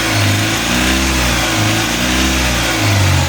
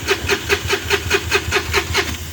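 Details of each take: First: Mahindra Supro diesel that would not start with no trouble codes, now running after the faulty rail sensor was dealt with: picks up and holds revs cleanly with an even drone and no knocks or misses. Still no codes; sounds normal. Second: Mahindra Supro diesel, non-BS6, no-start with scanner showing no trouble codes: starter turns engine over in even beats about five a second with no firing; crank no-start.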